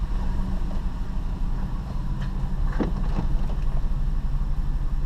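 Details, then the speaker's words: 2006 Dodge Dakota 4.7L V8 after spark plug replacement, a little cold, backing slowly out of garage: deep even V8 rumble with a few light clicks, no miss. Normal idle. "oh she's running nice and smoothly revs up real nice"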